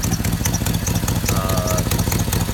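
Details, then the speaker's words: 2004 Chevrolet Silverado dump truck, jump-started on a weak battery: steady idle with a quick, sharp puffing tick on every firing pulse; exhaust manifold leak caused by a broken front manifold bolt. "I've been sitting around, but as you can hear, it does have an exhaust leak on the manifold."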